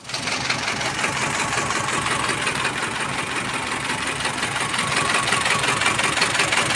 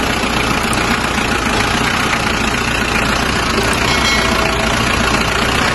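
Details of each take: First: Mazda BT-50 diesel with rough noise, cabin-wide vibration and no power: a hard, regular rapping knock over a rough idle, growing louder; a broken camshaft. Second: Mazda BT-50 diesel after vacuum solenoid valve repair for rough noise and no power: steady idle with even clatter, no misses or knocks, constant speed; sounds healthy.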